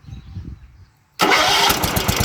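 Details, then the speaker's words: Neglected 1970s John Deere 212 lawn tractor, not run in years, starting after transport: quick crank, fires immediately and settles into a steady, even single-cylinder chug; a clean, healthy start. "Starts right up."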